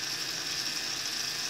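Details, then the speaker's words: Arduino Bluetooth robot with L298N motor driver, gear motors at 7 volts, about 60–65% speed: light, even high-pitched gear whir with no stutter or clicks; motors run normally at low speed. "if I stop the motors first and I have a low speed the motors can turn without any issues"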